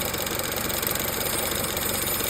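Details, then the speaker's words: Chevrolet Cruze (stated 5.3) idling with a fast, light rattle and metallic tingle from a worn serpentine belt tensioner pulley. "Little rattle, little tingle. Chevrolet Cruze tensioner pulley."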